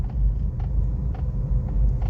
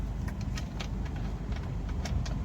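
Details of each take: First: Suzuki Baleno, electric power steering column gear dry from grease drying out, while driving and steering slightly: sharp knocks about every half second over low road rumble; steering was also hard and slow to return. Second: Suzuki Baleno, after column gear cleaned and regreased and bolts fully tightened to fix knocking and hard steering; car standing: steady low engine hum with a few light ticks, no clunk while steering; column now quiet.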